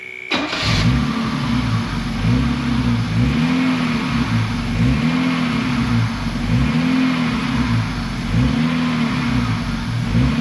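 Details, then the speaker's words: 1966 Mercedes 230SL (Euro-spec), sitting 40 years off the road, fully cold: fires quickly and settles into a smooth, even run with steady rises and falls in revs. Normal start and rev. "It sounds really really good. It is still totally ice cold so not concerned with that one bit."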